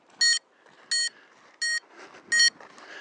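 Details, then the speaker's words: Yuneec Breeze drone after a flight with controller disconnects and an unwanted landing in a bush; five sharp high beeps, each about a fifth of a second, repeating roughly every 0.7 seconds: motor stall warning. "I've got motor stall warning. I've got all kinds of crap. And guys, that was not fun."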